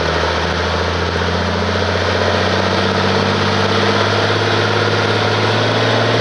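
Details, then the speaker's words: 1850 diesel tractor after a rebuilt injection pump and new camshaft gear key: steady low drone at idle but uneven and lumpy; runs rough, owner suspects the valves after a loose gear bolt chewed the key. "but you can kind of hear it's not exactly right and it's kind of i'm wondering about the valves right now"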